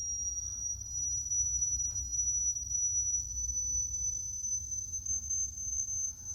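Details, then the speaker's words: Sony K611S cassette deck during speed calibration with a test tone: the reading is 5.6 against a target of 6.3, and pitch steps up as the motor speed is trimmed to 6.375. The deck was running slow. "So we're playing now, let's listen for the speed. Very low, that should be 6.3. That's 5.6."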